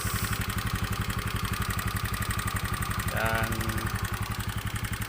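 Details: Honda Beat FI scooter that sputtered and died, suspected weak fuel pump; with the pump unplugged and fuel fed from a hand-pumped, pressurised IV bottle, it idles evenly at about four firing pulses a second with no misses or stumbles.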